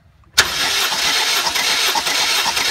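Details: 2006-2011 Honda Civic with P0300/P0302/P0303 misfires, cranking during compression test with plugs out: steady, even spin with regular compression beats; cylinder three reads 180 psi; compression healthy.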